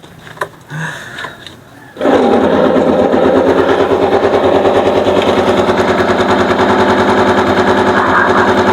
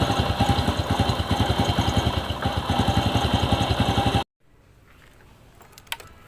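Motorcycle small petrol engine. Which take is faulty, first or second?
first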